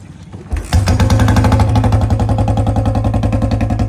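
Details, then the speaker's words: Royal Enfield Bullet (BS6) single, noise appears after warming up, owner says it is now much quieter during service check: fires up into heavy steady thump about three and a half beats a second with a rough edge underneath; warm-engine noise, cause not confirmed. "ਤਾਂ ਠੀਕ ਆ ਮਤਲਬ ਲਾ ਕਰਦਾ pinch ਚ ਆਵਾਜ ਆਉਂਦੀ ਬਹੁਤ ਘੱਟ ਆਉਂਦੀ"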